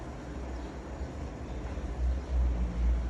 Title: Hotpoint last interm spin with bad bearings